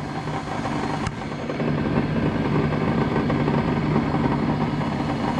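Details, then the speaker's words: Vintage Sioux valve grinder after repair with new motor: motor and pump hum steadily at an even pitch, no surging or labouring; running fine, feed smooth. "see like right now it's running just fine everything's working awesome lights working switch the feed over an 80s working a lot better it's nice and fluid"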